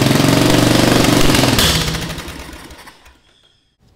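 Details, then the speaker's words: Murray riding lawn mower (lowered build), small single-cylinder engine first start after new exhaust header, gas tank, fuel lines and linkages refitted; weak battery, choke and starting fluid used; fires and chugs evenly at quick steady beat, runs normally, then winds down. "I'm gonna give it a little starting fluid to help it kick over this should help it fire right up let's try it now"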